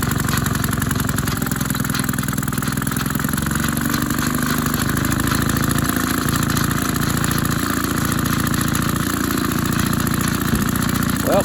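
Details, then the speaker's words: Maytag 72 twin engine driving a power hacksaw, pulley changed from 4 in to 5 in because one cylinder is more worn and it bogged down; speed adjustment at its limit, runs steady and even at about 3.5 beats/s, a bit faster than wanted. "that'll work a little faster than I wanted but you know hey it is what it is"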